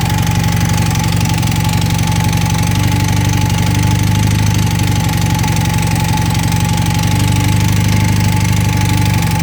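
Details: 1980 Honda CM400T twin at idle: steady loud idle with a fast, even ticking knock over the engine note; internal engine noise, cause unclear.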